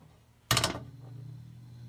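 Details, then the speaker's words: Mid-1970s EXL 7-bladed box fan, cleaned, motor washed and oiled, switch replaced, mic about 3 inches from motor, off to low: short click then only faint steady low hum. Normal quiet startup. "low you how quiet it is I mean the the camera is 3 in away from the motor"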